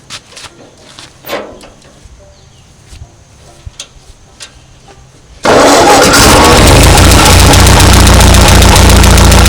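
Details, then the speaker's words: 1939 Ford tractor left in a field 20+ years, after choke adjustment: engine catches and settles into a loud, steady, even run with no misfires or knocks, burning off old carbon; running well. "That's pretty exciting right there. Ran good. Yeah. All right. You're burning out about 40 years of old carbon and stuff."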